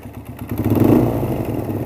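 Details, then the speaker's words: Suzuki DR single-cylinder, with weak exhaust, poor idle and lost top speed: rough uneven chuff with heavy puffing from the open oil filler, massive blow-by despite the crankcase breather, about half the exhaust escaping the crankcase. "I don't know if you can hear that there's massive loba and literally got a second exhaust pipe coming out of here"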